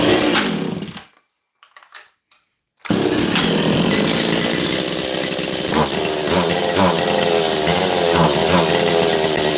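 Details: Makita DCS540 two-stroke chainsaw after low-jet and choke adjustment. A ragged buzz that cuts out, restarts and labours unevenly without climbing cleanly; a boggy, lean high-speed mixture. The owner thinks it possibly needs a carb kit.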